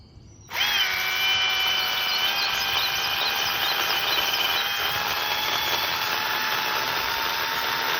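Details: EGO 10-ft cordless pole saw, carbon fiber telescopic shaft, 56 V EGO battery, first test on bigger branch: sharp start, then steady high chain whine holding pitch through the cut with slight sag; cuts cleanly.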